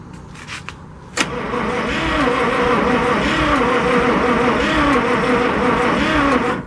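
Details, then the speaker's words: 1963 International work truck, 549 engine with two distributors, sitting with oil in the cylinders: spark plug wire swapped to test for spark; steady starter cranking at about three compression beats a second, never fires; no spark. "We got nothing there. Alright. After fiddling with stuff, I put a new coil on it that wasn't good and didn't know, and then I switched to the back distributor, cleaned those points as well, and then I've got you zoomed in."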